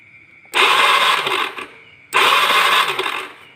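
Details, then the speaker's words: Honda Beat carbureted scooter, kickstarter broken so cranked on electric starter: two short one-second starter whirring bursts, engine never catches. Test light shows yellow stator wire gives no spark; a poorly connected pulser wire is also suspected. No ignition spark. "Sekarang, kabel kuning tidak mengeluarkan percikan api atau tidak menyala. Jadi, hal itu juga bisa disebabkan oleh kabel pulser yang tidak terpasang dengan benar."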